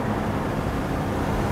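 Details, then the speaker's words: Porsche 928 V8 driven at unhurried speed on a road trip: deep, smooth, even V8 rumble under steady load with road noise behind it; engine healthy and strong. "Listen to that V8. That is so good. Porsche V8. That just makes me happy."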